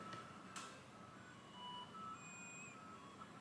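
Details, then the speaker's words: Game Boy Color bought for parts, internal speaker: game tones and beeps come through thin and barely audible over hiss while earbud audio works, so the headphone jack is fine and the speaker is suspected faulty. "the picture looks pretty good but the audio is very very faint I don't know if you can hear it"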